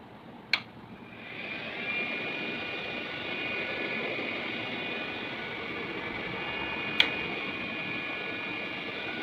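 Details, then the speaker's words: Room heater blower after its worn original motor was replaced with a brushless computer CPU fan: after a click, a steady airy whir with a thin high hum holds even, running smoothly though a bit noisy. "and this motor is running smooth rather than its own one. Although it is a bit noisy one, but it works a lot better."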